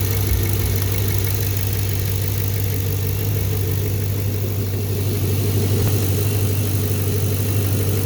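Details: 2014 Camaro V8 at idle: light, fast, mostly even tick over the rumble; teardown of the valve train and head confirmed a bad lifter.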